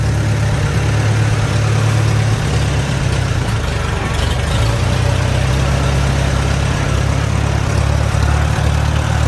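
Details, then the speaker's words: Farmall A gas tractor after magneto install and timing set, moving in second gear at about one-third throttle: deep steady low thrum, even and unbroken, no misses or knocks; engine runs normally. "Second gear. About third throttle. Oh boy, sounds good."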